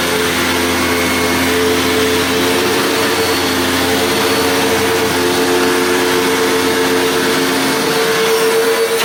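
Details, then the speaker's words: Over-20-year-old Hoover WindTunnel Plus upright vacuum running: steady, even motor hum with clean constant whine, no rattles or surging; motor sounds healthy, though the brush roll sounds very rough on wind down. "So you can hear the motor sounds great. It's just the brush roll sounds very rough on wind down."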